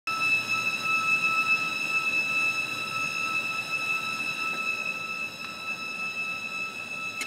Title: Whining noise outside.MOV